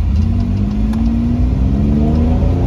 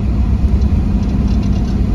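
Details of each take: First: 1997 Chevrolet Camaro RS 3.8 L V6 after replacing cracked cylinder 5 coil pack, 0 to 60 up a hill: engine pulls smoothly, pitch climbing and dropping at shifts near 4 and 10 seconds, no stumbles; normal acceleration. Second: 1997 Chevrolet Camaro RS, 3.8 L V6, under load uphill: deep drone with stumbling, sputtering dropouts, the whole car vibrating, and the check engine light coming on; a swapped coil moved the misfire to cylinder 3, confirming a failed ignition coil.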